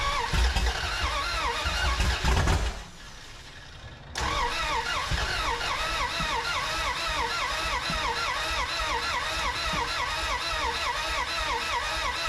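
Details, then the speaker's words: 1981 Dodge D150 cranks, catches briefly, dies, keeps cranking unevenly, sounding fuel-starved rather than spark-starved. Only about a gallon in tank; owner suspects insufficient fuel, maybe distributor timing. "we're getting somewhere just not getting any fuel I don't think I've got enough in the tank"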